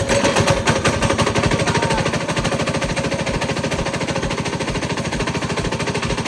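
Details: Coleman 196cc mini bike engine running with a loud, rapid, hammering knock on every turn: rod knock.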